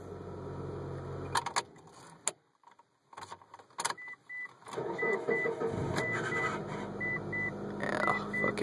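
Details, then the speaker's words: Manual-transmission car that starts fine but gives a nasty grinding squeal at start-up only, over several cranking attempts, then idles settled; owner was told it may be the starter, or at worst the flywheel. "it starts fine it's just it makes a nasty squeal so maybe you guys could tell me here"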